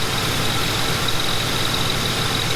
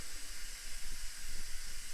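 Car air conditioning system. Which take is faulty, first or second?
second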